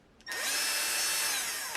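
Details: Würth 3/8in cordless impact wrench after board repair, partly reassembled, running in reverse: quick spin-up to a clean steady high whine for about 1.5 s, then stops; runs fine.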